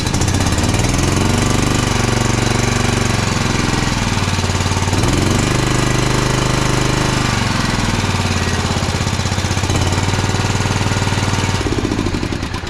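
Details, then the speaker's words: Toro TimeCutter SS5000 zero-turn mower that bogs down and dies when the PTO is engaged: lumpy, uneven chugging with speed sagging and recovering every few seconds and no power. The choke is sticking on. "Just sounds like there's no power on the unit whatsoever when it's running. Apparently the choke's still stuck on, like I was just saying."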